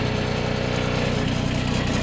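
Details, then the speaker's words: Kubota RTV900 diesel after a hard start: uneven, lumpy chugging idle with heavy smoke. A blown head gasket is suspected, since with the rad cap off, cranking squirts coolant from compression getting into the cooling system. "That right there, that's not good."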